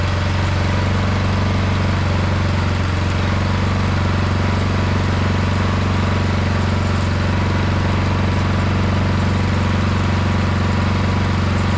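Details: 22-inch MTD Yard Machine snowblower, about 5 hp 179 cc engine, after drilling out the carburetor main jet to cure surging: smooth, unwavering drone holding one speed throughout with no rise and fall; runs properly.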